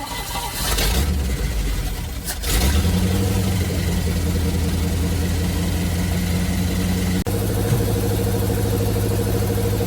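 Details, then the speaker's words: 1971 Chevrolet C40 truck V8 after carb cleaning: cranks, catches and settles into a smooth, even, low idle with no misses; running really well, blow-by minimal. "It's running really well! The blow-by is minimal."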